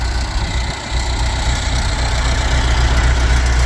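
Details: Old Bombardier Muskeg tractor started outside the shop to test the wiring: deep, even low-pitched idle, about four pulses a second, no knocks or misses; runs healthy, still lacking temperature and volt gauges.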